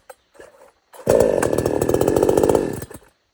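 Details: $97 Temu Chinese gas chainsaw (sold as Pinkway) starting easily after a short pull, revving to a strong, steady two-stroke buzz for a couple of seconds before shutting off; healthy start and run.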